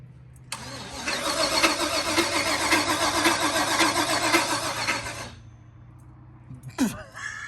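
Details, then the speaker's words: Car with Holley Terminator EFI and a newly wired bigger fuel pump: about five seconds of laboured, uneven cranking that never catches, then silence; no-start from a loose power cable feeding the fuel pump, though fuel pressure read good. "well the part do you hear how it's not running and do you hear how it sounded bad when you were cranking it over yes yeah that's the part I'm referring to"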